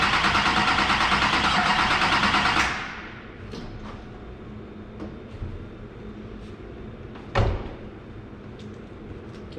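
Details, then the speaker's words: LB7 diesel truck after injector replacement, run without coolant, fuel system primed: loud steady cranking for over two seconds, then it quits without catching, though it almost fired; cause not confirmed. "well that sounded promising. Sounded like she almost fired up right there."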